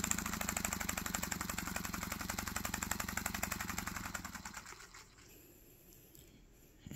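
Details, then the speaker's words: Paper single-cylinder air engine model with custom exhaust: quick, fairly even tapping about four times a second that fades as it slows; owner suspects the crank hitting the side of the crankcase due to side-to-side play. "I think you can I don't know what that noise is like. Yeah, you can you can kind of hear that hit in the side of the crank case, y'all."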